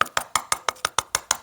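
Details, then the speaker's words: Tapping a masonry post block at its intentional pre-cut, made so the bottom can be opened before pouring mortar; nine sharp, evenly spaced taps ring hollow, unlike a solid post: hollow tap sound from pre-cut post block. "ça sonne creux parce que il y a volontairement une prédécoupe qui sert justement à pouvoir ouvrir quand tu as besoin"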